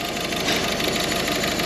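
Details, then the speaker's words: Peugeot 2008 diesel that broke down on the motorway, idling with a lumpy, uneven misfire from a dead cylinder due to a failed injector; unplugging the failed injector's connector changes nothing, while unplugging the others makes a difference. "not going to make any difference to that car whatsoever. As if we do to the other one, it's going to make a difference."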